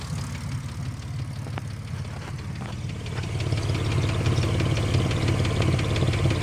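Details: 2005 Ford Mustang idling with a quick, light ticking over a low, puffy exhaust note.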